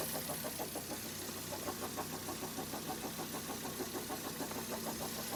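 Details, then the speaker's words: 2010 Vauxhall Zafira 1.8 petrol, 144,000 miles, serpentine belt badly cracked: steady fairly regular knock at idle, about three per second, over a rubbing undertone; owner suspects rod knock, not confirmed. "first thing we're going to do is we're going to start it up and I'll show you what kind of sound it is so we'd rather thought it was mate knackered um he thinks it's uh well rod knock or something"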